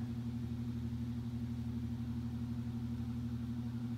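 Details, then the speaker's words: Mid-1950s Ilg Model 83 shuttered fan, never used in 60 years, first run after oiling the motor; smooth steady low hum with even whoosh, no ticking or rubbing, purring quietly, normal running. "so that's the ilg model 83 from the mid-50s happily purring away up there doing an excellent"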